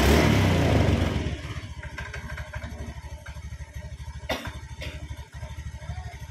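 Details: Honda Beat ESP scooter after battery recharge and refitting, starter had been making a krok sound with pinion touching: loud burst of revs then a steady, even idle putter with regular firing pulses; normal start and idle.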